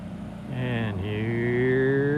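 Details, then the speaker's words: 1967 Triumph vintage motorcycle after cleaning the clogged pilot jet: approaches with a clean, steady exhaust note rising smoothly as it opens up, no misfire or stumble; running healthy. "We cleaned the pilot jet. [Applause] What a difference a clean pilot jet makes. Listen to that thing. Isn't that gorgeous?"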